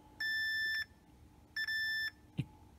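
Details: Yamaha C-2a preamp tone control PCB, being repaired for popping and static noise, with two steady high beeps, each about half a second, from a meter's continuity test confirming a good connection while checking a wrongly oriented component.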